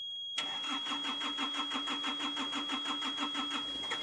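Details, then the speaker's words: Hitachi EX55UR excavator diesel, sat a year with a broken boom: steady cranking about three beats a second with a sharp onset; hard starting, it catches only after a squirt of starting fluid. "can we spray a little fluid in there oh I suppose a little squirt a little squirt yes let me let me try it one more time"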